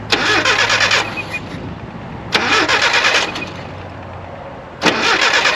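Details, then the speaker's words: Nissan 720 pickup, petrol four with manual transmission, revived after 20 years sitting, fuel flushed and tuned: blips and drops back to a smooth, even low idle about 550–600 rpm, clean revs, no misses; normal idle. "So as you can hear, we actually have that nice low idle like you want with a manual transmission vehicle, probably in that 550 to 600 range. It's very smooth."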